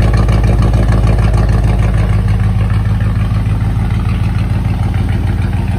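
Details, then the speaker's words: 1986 Ford F-150 running after about 15 years sitting and a fuel pump swap, on old gas: deep, even burble at steady idle, no misses, knocks or ticks. Small pipes, maybe not two inch, sound pretty good; normal running. "i don't even think those are two inch pipes they're small they sound pretty good though"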